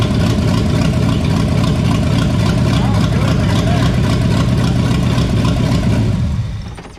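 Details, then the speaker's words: 1973 Toyota Land Cruiser FJ40 six, run after sitting many years, with fuel tank cleaned, fresh gas and oil, timing set: steady, even low rumble with no misses or knocks, then winds down; running cleanly. "that sounded pretty damn good there though"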